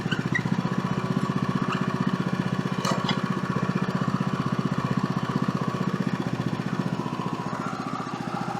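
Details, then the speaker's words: Woodland Mills HM130 Max portable sawmill cutting a small silver maple log after replacing the blade tensioner bearing: even engine drone and steady cutting hum with no surging, which had appeared after hitting metal; repair worked. "All right, so no surging at all on that one. So that's good."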